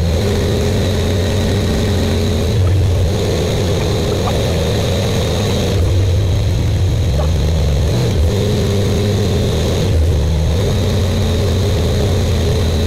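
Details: Buick Grand National freshly rebuilt engine, first start during cam break-in, 10 minutes, no thermostat: steady, even high idle with a smooth low rumble, no knocks, ticks or misses; good oil pressure, temperature rising.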